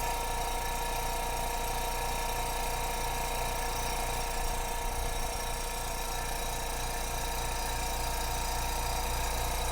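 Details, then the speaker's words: New Spraygunner airbrush compressor running constantly with nothing blocking the air line: steady, even motor hum with a light regular pulse and no knocking or rattles; quieter than the old Amazon compressor, healthy. "now that is a side-by-side comparison of how a proper compressor is supposed to sound even the e the amazon one when it was new didn't sound that quiet"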